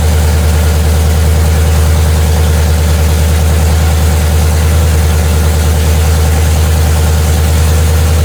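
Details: Freshly rebuilt Chevy 5.3 LT truck V8 at idle: loud, even, steady low pulsing with no knock, tick or stumble. It settles into a smooth run.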